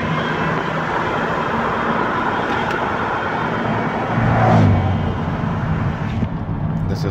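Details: 2011 Toyota Sienna AWD recorded inside the cabin while accelerating: faint whine rising in pitch over road rumble; mechanic's stethoscope traced it to the rear differential, owner notes similar noises elsewhere blamed on transmission; whine under acceleration.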